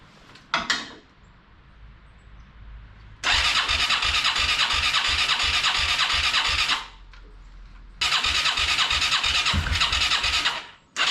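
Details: Yamaha Moto 4 ATV sat over 20 years, temporary fuel tank, booster pack; single-cylinder catches after brief crank, runs in raspy bursts of steady firing with gaps. Engine starts and runs.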